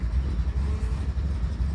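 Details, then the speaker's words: 1970 Citroen DS just after a cold start on choke: low, lumpy idle with uneven pulses and dips, sounding about to stall; rough idle. "Running a little bit rough. Sounds like it's about to stop actually."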